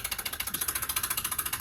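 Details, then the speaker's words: Sunville 9000 BTU mini-split indoor unit running with fast, even metallic clinking, about fourteen ticks a second. It started after being dropped from the back of a minivan to the ground, was absent on first run, and is getting worse. "BTU, we have a problem where it's making a clink, clink, clink noise."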